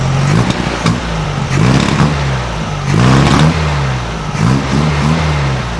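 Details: 1956 VW Beetle flat-four with Solex carburetor, after readjusting all valves to 0.006in feeler-gauge drag: idles evenly and revs climb and fall cleanly; much quieter than before, still sewing-machine sound but rattle gone from both sides; normal running and revving.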